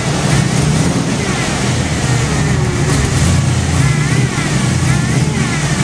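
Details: Jeep first start after water pump replacement and reassembly of power steering pump, fuel pump, AC compressor, fan and belts: steady, even low engine rumble with no knocks or misses, idling smoothly; a leak was noticed afterwards.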